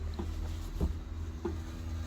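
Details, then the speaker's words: BMW 7 Series E65/E66 hydraulic trunk lid: pressing open, the hydraulic pump motor on the right side of the trunk is heard humming steadily with faint clicks, but the lid does not move; closing failed the same way, and soft close works. "the same thing I can hear the motor but nothing happens so um I can hear the motor on the right side"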